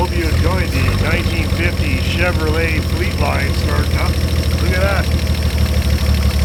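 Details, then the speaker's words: 1950 Chevrolet Fleetline Deluxe six-cylinder, just started after sitting for years, kept from getting warm on a winter day: steady, even low rumble with no misses or knocks; runs better than remembered, normal healthy idle. "that these sound great what a great sounding engine that's terrific but we don't want to get her very warm so we're not going to run it for very long"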